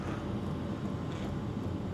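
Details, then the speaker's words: Sunster TB10 diesel heater on low setting (level two), microphone right next to it: soft steady blower hum, fuel pump ticking barely audible; running normally and inaudible from a few feet away. "and no now I don't hear it at all okay here's my microphone right next to it you can kind of hear the ticking sound but this being 3 4T away from you outside you're not going to hear that at all"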